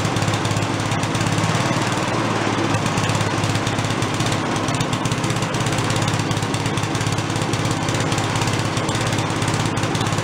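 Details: Late-1970s/early-1980s Giant Vac walk-behind leaf blower, bought worn from a garage sale, primed from a bottle: steady, loud two-stroke buzz held at full throttle with no stumbling or surging; normal running. It has no idle circuit.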